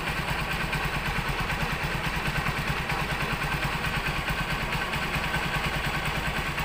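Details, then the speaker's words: Honda Supremo motorcycle after replacing the damaged rocker arms, intake and exhaust valves and cam: even idle with a steady low thump and no top-end ticking. "Okay boss Okay na Okay na po yung ating motor"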